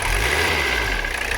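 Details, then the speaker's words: Mercedes 300CD diesel, about three-quarters through a can of diesel purge run through the upper fuel system, not yet at operating temperature: steady, even clatter with no misses; sounds smoother and more responsive after the purge. "We're probably 3/4 of the way through, and it already sounds better. I was kind of skeptical, but I mean, just listen to this."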